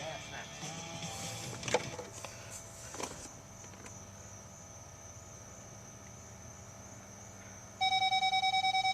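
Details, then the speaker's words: 2006 Ford F250 rear backup sensors after swapping out the failed sensors for eBay replacements, key in accessory, in reverse, one sensor blocked: rapid, steady high-pitched beeping about three a second; parking sensors working properly. "Alright, so we have now fixed the backup sensors just by swapping them out, identifying which ones weren't working, listening to the tick, and then doing a little eBay special."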